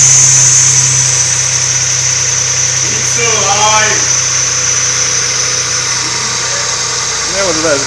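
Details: First start after a breakdown: an even, steady idle holding one note with no misses or knocking; the engine is running properly again.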